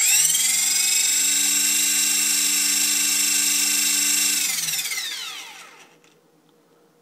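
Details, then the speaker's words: EXI-450 RC helicopter spooling up: steady high electric whine with faint chopping noise, pitch falling on spool-down; main gear wobbly from factory with main shaft wobbling along, suspected cause. "do you hear that chopping noise and look at the look at the main shaft"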